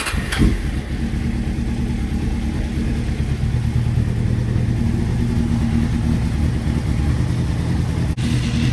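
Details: Warm Honda CBR600F3 carbureted inline-four idling without choke during per-cylinder exhaust temperature test, the first two cylinders reading very differently: low, lumpy, uneven burble; rough idle.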